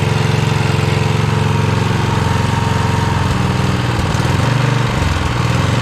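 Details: 1982 Snapper Comet riding mower, 8HP Tecumseh single-cylinder: chugging at high speed, briefly dipping and sagging midway; only holds at full throttle, carb needs tuning.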